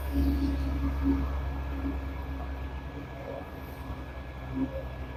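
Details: Samsung dishwasher after repair for HC heating error code, test 30-minute cycle: steady low hum with water swishing, no surging or grinding; wash pump running normally.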